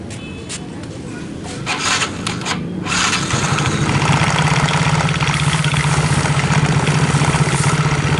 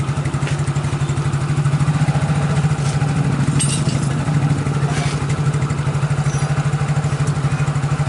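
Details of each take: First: Yamaha X-Ride scooter at idle: steady low drone with a rough knocking churn from the CVT, rear wheel turning without throttle. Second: Yamaha X-Ride scooter after CVT repair for rear wheel turning without throttle and knocking: steady even idle, CVT now smooth with no noise and wheel no longer turning; worn rollers blamed.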